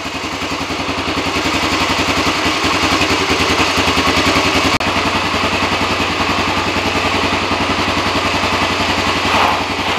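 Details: Honda ATC three-wheeler, over thirty years old, started after sitting untouched for close to two years, in neutral, choke checked; even, steady single-cylinder idle with crisp regular beat, no misses or knocks, healthy engine.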